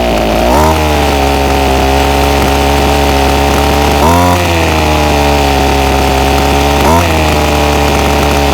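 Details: Ryobi SS30 30cc two-stroke trimmer before low-jet carburetor adjustment: a buzzy steady note that sags and struggles every few seconds. It bogs whenever throttle is given.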